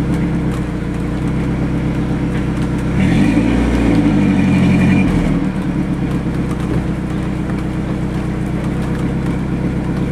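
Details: Ford Ranger 2.3 four-cylinder, 5-speed, headers, straight pipe into Thrush glasspack, heard from the exhaust: raspy idle, quick blip climbing and falling cleanly back to idle; loud but healthy exhaust.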